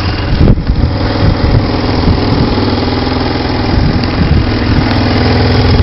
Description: sounds like i have an exhaust leak sounds right around the manifold to the catylic converter.